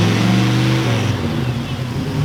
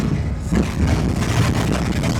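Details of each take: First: Ford Galaxie V8 after a new distributor install with timing set at about 8 degrees: the engine blips up, then settles into a smooth, even idle with no misses or knocks; it now runs perfectly. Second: Ford Galaxie V8 that idled fine, now driven under load: the burble goes ragged with irregular stumbles over road noise; a misfire under load that does not clear by driving.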